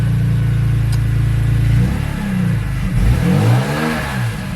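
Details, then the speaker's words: E36 with S54 swap, cold start in cold weather after a partial exhaust rattle delete: a deep steady drone, then sweeping blips with a coarse gravelly edge. The exhaust is still raspy but not loud. "it's still raspy well here's the thing though it's not loud which is good"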